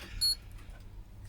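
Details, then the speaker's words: Flea-market EVGA 1000W modular ATX PSU with some corrosion or dust inside, on a current-limiting bulb and ATX tester: a click, then two short high beeps over quiet hum; 5V standby OK, other rails low, power good never came back. "and it's telling me I have 5 volts standby. Everything else is low and power good is not. So that means the power good never came back from the power supply."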